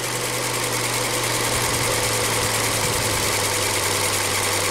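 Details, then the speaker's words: 2017 Ford Transit Connect 2.5L at operating temperature: the variable-speed cooling fan's steady roar over the engine hum winds down as temperature falls through 208 and 206°F until the fan switches off; normal. "hear it slow down as the temperature decreases. 208, 206. Fan is off."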